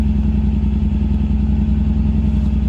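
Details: Mercedes C55 AMG V8 just started after sitting almost 4 weeks with a flat Odyssey battery that was recharged: steady, even low idle with a smooth regular pulse, no knocks or misses; healthy idle.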